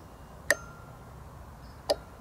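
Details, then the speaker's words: Razor E300 scooter converted to 48V controller and 48V battery, turning on the newly wired power switch: single sharp click as power comes on, then a second; controller relay switching normally. "let me turn it on you can hear when I press a button will turn on the real line you can hear click there we go"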